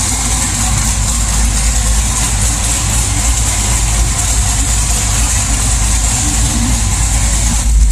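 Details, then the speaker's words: LS1 V8 swap car, HP Tuners idle tuning after wideband fitted and AFRs corrected: deep, steady idle with even beat, no misses or hunting; starts much better, healthy idle. "let me fire it up and show you how good this car is running now with the afr's looking good it starts up so much better now and just it sounds [Music] healthy"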